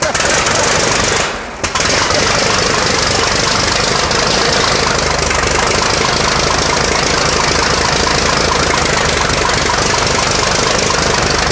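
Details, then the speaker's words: 1917 American LaFrance Special, restored engine started for the first time after installation: loud, even, rapid firing holding a steady beat with no misses or stumbles; normal running. "There we go. Very successful. That sounds amazing."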